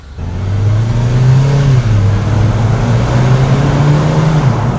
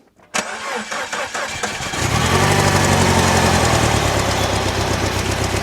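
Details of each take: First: R56 Mini Cooper S with N14 engine, driven after a full engine rebuild with an oil-low warning light showing: the engine note climbs smoothly under load and the boost and blow-off valve sound healthy, with no flutter or rattle. Normal turbo boost. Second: Rebuilt R56 Mini Cooper S N14 engine, first start after head refitted: cranks, catches and runs unevenly with a lumpy pulse for several seconds, then dies; a mistake made during reassembly is blamed, with timing reportedly still correct.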